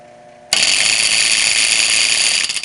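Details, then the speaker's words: Circulating pump on an electric boiler with two pumps, heard before the motor is changed: a sudden loud harsh metallic rattle runs steady for two seconds then dies away; failed pump coupler. "Last night I was doing some plastering and all of a sudden I hear dang! And it was nasty and miserable."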